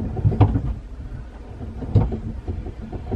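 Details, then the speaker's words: Sailboat steering with the boat lifted out in the yard: two dull heavy clunks about a second and a half apart as the wheel is turned, felt in the hull; looseness in rudder or steering. "would you like me to turn the wheel so they can hear the clunking I don't know if they be able to hear it could try it"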